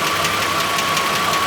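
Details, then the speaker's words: Truck engine pulled and run cold on a test stand, oil pressure jumping to 60 then settling, no black smoke; cylinders one and six suspected. Fast light ticking keeps pace over a smooth idle; owner thinks a lifter pumped up, cause unconfirmed. "it's got the tick and like I said when it crunk up it actually like just smooth purred and then I think the lifter pumped up"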